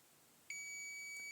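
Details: Continuity tester on a fluorescent tube's end pins: single sudden steady high beep, showing an unbroken path through the filament.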